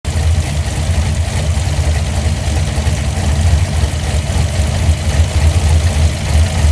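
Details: Engine fitted with Holley Sniper fuel injection at idle: a deep, uneven idle with a lumpy, irregular stumble in the exhaust pulses instead of a steady beat; an idle misfire, cause unknown.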